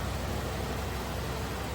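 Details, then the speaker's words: 1979 Cadillac Eldorado Biarritz with a 350 cubic inch port fuel injected V8, after extensive repairs: steady, even low rumble with no knocks or misses, running smooth. Finding: normal idle. "with a 350 cubic in port fuel injected V8 and it is humming and running like an absolute well oiled machine"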